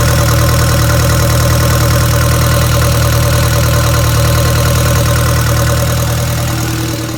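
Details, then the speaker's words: 1962 Land Rover Series 2A 109, 2.25L diesel: loud deep steady idle clatter with a slightly uneven beat; runs smooth cold but misses and runs rough, jerking, once warm; cause not confirmed. "as you seen in the video that the truck is not running right at all there's a there's a miss in there whenever it's cold it'll run pretty smooth as soon as it starts getting warmed up it starts really running like crap"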